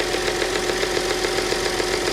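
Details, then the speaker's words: 2010 Audi Q5 Premium Plus, direct injection, timing chain, bought junked with check engine light and low oil pressure warning: steady idle with fine even injector ticking, no heavy top-end tap; sounds healthy, normal idle. "It sounds fine to me. I don't hear anything that I'd be worried about."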